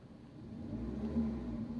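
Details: Suzuki SX4 S-Cross after knock sensor replacement and clearing the codes, revved during a restart check: low, smooth rumble swelling with throttle, no knock or rattle. The check-engine light stays off and the engine sounds healthy.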